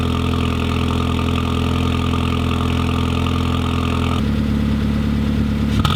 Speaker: And let's give it a little bit of a rev from inside the car here. Roll down the windows for you. Okay. Deeper tone. I like it.